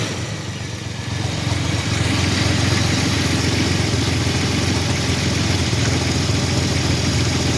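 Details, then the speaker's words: 1985 Chevrolet S10 2WD, 2.8 two-barrel carbureted V6, 4-speed automatic (transmission not yet installed), nearly 60 psi oil pressure: steady idle with faint regular tapping, three or four a second; engine knock, cause not yet checked. "It does have an engine noise. I'm not sure what it is yet. I haven't checked it out."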